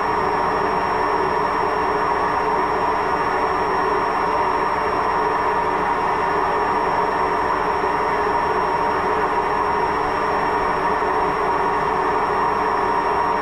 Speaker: Waschmaschine mit Lagerschaden hört sich so an.